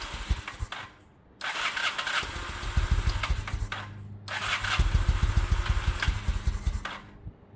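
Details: 2000 Honda Shadow ACE 750, real tank refitted with fresh fuel, petcock on, choke out: catches, stumbles and surges, barely holding idle; fuel issue not spark, old fuel still in the carbs.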